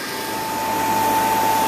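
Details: Newly fitted two-speed (2/4 pole) Bristol replacement compressor, replacing a single-speed original, after condenser leak repair, new suction line and blocked drier found; steady, even mid-pitched hum holding constant on first start-up, running normally.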